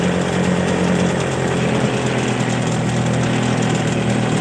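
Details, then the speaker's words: Hangkai 6hp two-stroke outboard after carburetor rebuild, running on last fuel in carburetor and filter: loud, buzzy idle holding an even, steady beat without stumbling; running smoothly. "Try to let it just run dry. Just bear with me. It'll be a little loud. It is a two-stroke. So, it's a little loud, but I'd rather it run it dry than to let it sit with gas in it."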